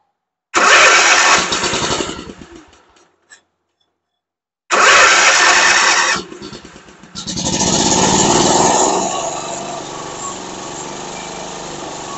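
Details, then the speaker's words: Mower with a no-start fuel problem, air filter removed, fed through a fuel-line diagnostic trick: two bursts of cranking, then it catches and runs steadily until the tank runs dry; runs fine, fuel filter then replaced. "it's running all right it is run out of fuel in the tank and it quit pumping out of this line here so I went ahead and shut it off"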